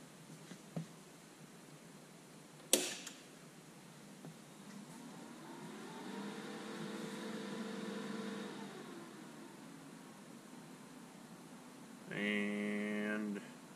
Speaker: now ready to weld so you can see it's a very fast startup procedure the fan goes up to full speed and then comes right back down